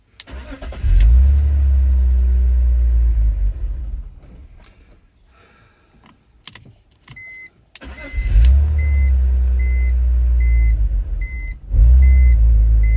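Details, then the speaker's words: $450 BMW E46 330Ci that was running badly, after vacuum leak repair: fires and idles unevenly and barely responds to throttle, still running rough; fuel pump seemingly not the cause and bad gas possible. "no still running like [Music] poopy not taking any throttle either"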